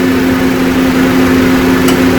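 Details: 2009 Honda Civic idling, compressor clutch jumped directly after being diagnosed as not engaging from an electrical fault (no power from relay, system serviced a week earlier); steady low hum without rattle, compressor running smoothly.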